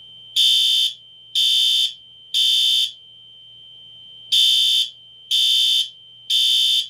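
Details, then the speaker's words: Fire alarm test in a basement: a horn/strobe sounds loud, high-pitched blasts in a three-pulse pattern, a pause, then three more. It is working normally. "we're gonna be giving uh the fire alarms a test so you can hear what uh the fire alarms sound like down here"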